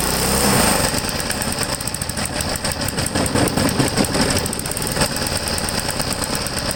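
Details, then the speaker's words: Vintage Briggs & Stratton 3 hp single-cylinder engine, unrun about 15 years, carburetor likely gunked; screams at high constant rpm, won't ground out to shut off; throttle stuck wide open, suspected from rust: overspeed. "this thing won't even ground out to shut off it's running way too high of rpm way too high was running full square"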